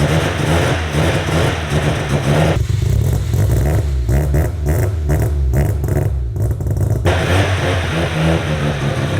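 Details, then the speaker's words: Piston-rod engine's first cold start through a 4-inch exhaust with resonator and two mufflers, no hangers yet, idling at 1200 rpm: deep, steady, even low burble, fairly quiet, no popping or drone; normal cold idle. "it's good it's good this sounds normal I can actually hear myself think now that's what I'm saying it like it sounds so normal it's an even phase of it"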